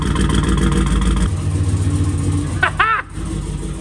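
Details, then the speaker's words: Sleeper with a hidden turbo kit, first start after reassembly with new gaskets: rough, lumpy idle because half the spark plug leads were left unplugged, so it runs on only four cylinders, a misfire. "oh it's running on four cylinders oh my gosh I don't have half the spark plugs plugged in gosh dang it I'm an idiot"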